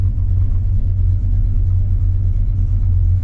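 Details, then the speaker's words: 1985 Chevrolet C10 V8 on test drive after ignition timing adjustment with timing light: deep steady rumble, no misses or surging; earlier vibration and missing feel gone, good throttle response; vacuum reading still not improved. "certainly doesn't have that vibrating feeling that it had before it's got a pretty good throttle response now so that feels good"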